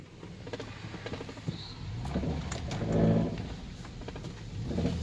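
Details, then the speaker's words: 2002 GMC Sierra idling low, same rpm in drive and neutral: low rumble with irregular loose rattles and taps as revs shift. Exhaust rattle suspected, not confirmed. "that sounds like an exhaust rattling or something i'll back it see if i can pack it in"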